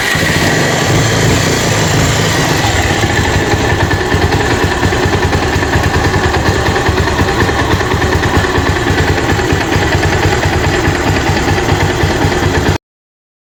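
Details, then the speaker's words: Rouser 180 motorcycle, just started after battery troubleshooting, customer says it wouldn't run; uneven loping beat about three pulses a second that won't settle, rough running from a faulty carburetor that needs cleaning; owner also reports vibration and noise near clutch side. "So yan napaandar na natin yung roser na 180. So ang may problema sa kanya ay yung karburador."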